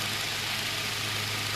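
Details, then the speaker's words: Revived late-1920s Victor Jr fan, oscillator and gearbox working, motor still relatively cool after running: smooth, even airy rush with faint low motor hum and no grinding or ticking; no motor or bearing noise. Normal running. "I am amazed amazed at how well this thing runs no motor noise or bearing noise yet the motor is still relatively cool"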